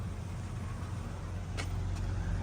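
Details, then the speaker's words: Jeep Cherokee idling just after a cold start following 5 years sitting: low, quiet, smooth rumble without ticking or knocking, calm and healthy; owner suspects it may need a starter after earlier clicking. "look bro after 5 years that's crazy and it's quiet healthy what the hell woo talk about a cold start he no way 5 years 5 years and it's quiet as a whistle with old bad"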